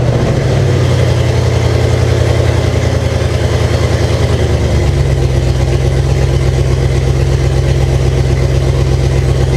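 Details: First runs of 2005 5.3 LM7 V8 swapped into 1998 Jeep Cherokee XJ, open exhaust, O2 sensors not connected: loud uneven lumpy idle with a dip in note midway; rough running, owner suspects a vacuum leak, unconfirmed.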